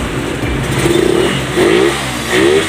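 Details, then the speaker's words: Suzuki Raider 150 motorcycle after repair of a loud typewriter-like rattle: three quick throttle blips, each rising cleanly and dropping back to idle without stumbling; revs healthy and strong. "Okay, sumisigaw na. So yun lamang mga kaibigan."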